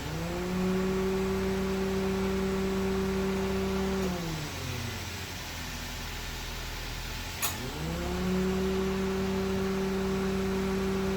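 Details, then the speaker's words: Car AC compressor magnetic clutch engaging over the idling engine with a sharp, loud clack; caused by wear between center piece and pulley widening the clutch air gap beyond tolerance, which risks breaking the center plate. "Apakah mobil kalian seperti ini saat AC dihidupkan muncul sarat cetak yang sangat keras dan cukup"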